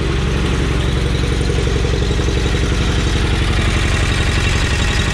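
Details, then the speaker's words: Twin-cylinder mower that had run flawlessly, now slightly down on power: busy mechanical clatter over the exhaust beat, a ticking top end; owner suspects valve noise, cause not confirmed. "There is some terrible valve noise going on in there. I don't know what it is, but basically it's kind of... It's a little bit down on power, but not really, but obviously it still starts up and runs."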